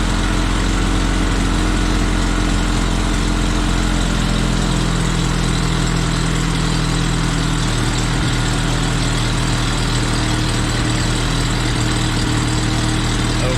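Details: Jeep with points ignition after a new condenser, points roughly gapped, idling at 1100–1180 rpm with timing being checked, after many fuel-system parts were replaced: deep, uneven drone that never settles. Rough idle with a likely misfire; cause undetermined.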